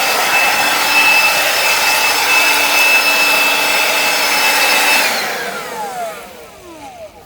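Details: Makita cordless garden hedger powered by a Makita-compatible battery from Battery Factory Outlet. Even high-pitched motor whir held steady about five seconds, then winding down smoothly when released; tool running normally.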